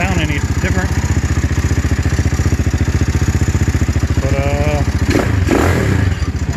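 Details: Venom X22R 250 single-cylinder motorcycle, just after installing a 4-degree advanced flywheel key, running 20W-50 oil: catches and settles into a steady, even thump of about four beats a second with a brief blip; normal start and idle, runs cleanly.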